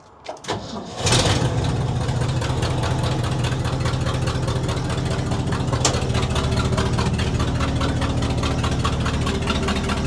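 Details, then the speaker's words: 1967 Ford/Seagrave fire truck, gravity-fed from an auxiliary tank to the carburetor: short crank, catches within about a second, settles into a steady, slightly lumpy low idle; engine starts and keeps running. "Well, it's running. I don't know for how long."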